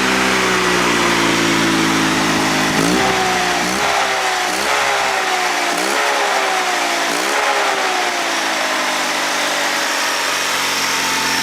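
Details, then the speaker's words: Honda 3813 liquid-cooled lawn tractor with a GX360K1 engine, running after the fuel pump was coaxed into pumping: a smooth, even hum that rises and settles cleanly as revs change, no knocks or misses, car-like. Healthy. "tell, it doesn't even sound like a mower engine. These things are so closely related to the Honda car engines, it's no surprise that it sounds like one."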